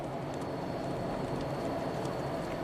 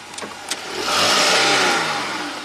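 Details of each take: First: 2014 Jeep Grand Cherokee V6 AWD at 202k miles, road test after replacing the stretched one-speed transfer case chain: steady road and drivetrain roar under hard acceleration from a stop, with no clunk or snap. Drivetrain normal. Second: 2014 Jeep Grand Cherokee V6, 202k miles, hard takeoff from stop in Drive: two sharp pops under driver's seat then engine revs; stretched chain in one-speed AWD transfer case jumping teeth.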